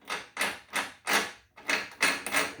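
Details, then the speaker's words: Belt-driven self-propelled mower transmission turned by hand gives sharp dry clicks about three per second and isn't engaging properly; probably needs lubrication, plus a new drive cable. "kind of hear that clicking but it's not it's not gauging quite right it probably needs lube in there"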